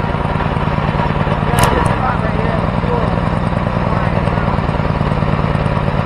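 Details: Home-built 424cc inline twin from two Predator 212 engines, first run with carb needle clip at middle setting: runs fast and busy at tickover without settling; idle too high, owner plans raising clip so needle drops for lower idle.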